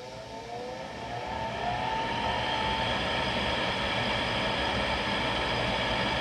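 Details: Replacement vent blower assembly on a GE (Rheem-made) power vent water heater, after the old motor's bearings grew noisy; blower spins up with rising whine then settles into steady even whoosh, no rattles or scraping, healthy.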